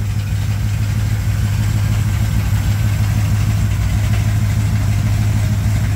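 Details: 1987 Chevrolet K10 4x4 truck, first start after blown head gasket replacement, warming up: steady, even low V8 rumble at idle with no knocks, misses or ticks; normal smooth, healthy idle.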